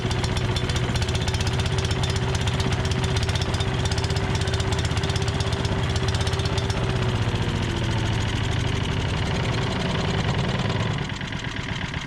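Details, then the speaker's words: Tecumseh-powered MTD Yard Machines chipper/shredder that had sat a long time, now running on its own fuel: fast, steady single-cylinder chatter at constant speed, no misses or surging. Normal running. "engine sounds good on here we knew the oil was good don't have to deal with dirty gas in the tank"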